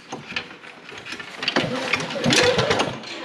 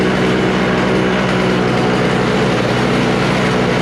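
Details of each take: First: Non-running Toro snowblower with Briggs & Stratton R-Tek engine: uneven pulls about three a second, rattling and whooshing but never firing; cranks without starting, owner suspects no spark. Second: Refurbished Toro snowblower with R-Tek (Briggs & Stratton) engine, freshly fueled and warming up: loud, steady drone holding an even pitch with no misses or surging; normal running, though the idle adjustment may not be set right.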